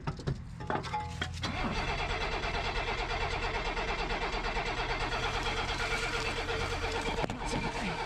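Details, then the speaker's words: 1987 BMW 528e (E28), sat about two years: starter cranks steadily but engine never catches; no fuel pump hum, pump not running during cranking, well under 12 volts reaching it. "however at this point with the engine spinning that fuel pump should have been running and it's not"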